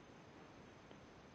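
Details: New 1/8" air micro die grinder on compressed air: steady, quiet airy hiss from the bottom fitting, a compressed air leak. It got quieter when tightened; the owner suspects too little Teflon tape or a fitting installed the wrong way.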